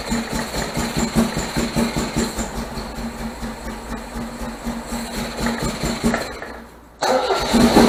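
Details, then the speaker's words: 1978 MGB after fitting rebuilt carburetors and deleting ignition points, started on starter fluid with no choke cable: uneven lumpy idle rising and dipping, nearly stalls before catching; still rough and very rich, owner wonders if valves are too tight. "For some reason, she still runs rough. And that's after even building the carburetors."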